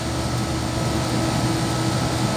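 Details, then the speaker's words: 12.5-ton AC on first stage, tested before any work, 65°F outdoors in light drizzle: a steady low blower rumble with an uneven, surging rush of air. Superheat is a little high, delivered capacity fluctuates and total external static is 1.4. Low airflow from clogged filters and a loose belt. "temperature split is not bad but look at the airflow this is a 12 and a half ton mind you"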